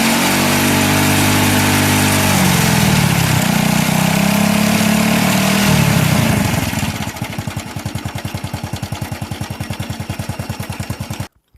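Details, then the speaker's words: Older Honda Wave 110i with hard starting and cutting out when revved, charged battery fitted: revs smoothly, then a steady even putter around 3.5 beats a second; charging checks normal, about 13 V at idle and under 14 V revved. "จากที่เห็นก็จะเพราะว่าการชาร์จนั้นอยู่ในเกณฑ์ที่ปกติดีขณะเร่งเครื่องไม่เกิน14โวลท์ขณะเดินเบาอยู่ที่ประมาณ13โวลต์แสดงว่าเป็นชาติดีอยู่ครับ"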